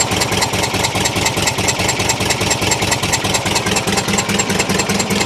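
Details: 1973 VW T2 Bay camper with poor running and no power: idle exhaust chuffs about two per second with a missing beat; one cylinder with zero compression, dead because a tight valve is held open.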